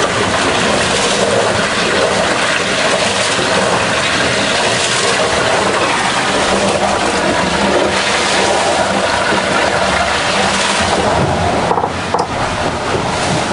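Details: Vendee Globe 2004-5 yacht, keel rams failed and keel lashed: continuous rough grinding and rumble under loud water wash, no clean rhythm, as the keel pin chews into its worn bearing.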